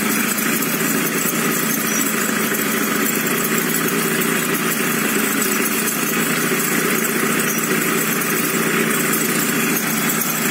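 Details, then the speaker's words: Two-stroke Yamaha scooter engine at idle, reassembled with bearing: thin steady squeak over even idle, appears only when warm, absent cold, seeming to come from the middle; source unclear. "Наконец-то мы услышим этот звук. Вот слушайте скрип этот."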